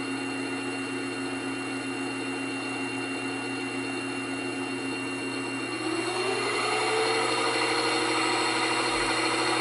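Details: New Grizzly G0758 benchtop mill, low range 50–1,000 rpm, starting near 50 and run up to maximum. Steady hum then clean tone rising smoothly with speed, no gear clatter or grinding; normal run-up.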